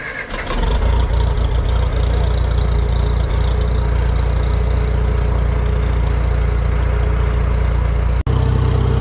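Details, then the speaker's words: Antique Farmall tractor started without choke: it catches within half a second and settles into a steady, even idle with no misses or knocks. A normal, easy start. "definitely become one of the best starting tractors on the farm no doubt"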